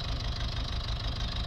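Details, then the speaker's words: Citroën C3 diesel idling lumpy, uneven low pulse with occasional stumbles like a misfire, no fault codes; suspected fueling issue, fuel filter change and additive planned. "citen C3 running a bit lumpy sounds like it's misfiring a bit but no fall codes"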